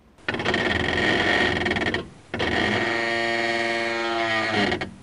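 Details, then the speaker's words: Brake creep groan: drawn-out creaking groans like something dragging, occurring at very low speed and very light brake pedal pressure, most often on automatic cars moving off in D while holding the brake. "esse tipo de ruído ele ocorre em baixíssimas velocidades e baixíssima pressão no pedal do freio ele ocorre mais comummente em veículos automáticos quando a gente coloca o veículo em D e inicia um processo de movimentação segurando e controlando no pedal do freio"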